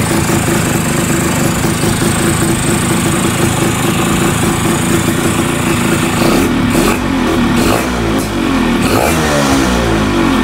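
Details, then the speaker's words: Yamaha F1ZR two-stroke after ratio change and PE 30 carburettor upgrade: rough running with a loose metallic rattle over it as revs change, from the worn, loose one-way starter clutch housing, later tightened. "nah bunyi ini tuh bunyi yang dari rumah oneway-nya ya yang oblak itu guys ternyata bunyinya berasa juga nih"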